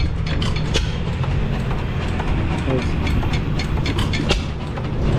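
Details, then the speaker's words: 1909 Lauson 2.5 HP engine, unrun about 5 years, running outdoors with newly rebuilt igniter: steady low thumping with irregular sharp pops over a deep rumble; firing cleanly, rebuilt igniter working perfectly. "sitting out here running good new igniter or rebuilt igniter is working perfect"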